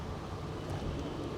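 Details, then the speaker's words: Barely audible, smooth low hum with no knocks or ticks at idle on a 2023 Jeep Grand Cherokee at a Copart yard; dead silent, a quiet, healthy idle. "let's see what the engine is like when it's running I'm loving the car though dead silent listen to"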